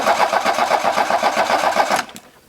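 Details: Car that won't start, cranked with the key during an ignition coil spark-gap test: even, fast cranking pulses for two seconds before the key is released. The starter turns the engine over normally.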